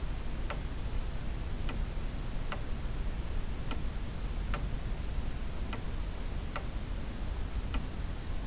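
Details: Pendulum clock runs with a steady, slightly uneven tick-tock of about seventy beats a minute but never chimes or strikes. It was said to strike, and the hammers were bent out of line.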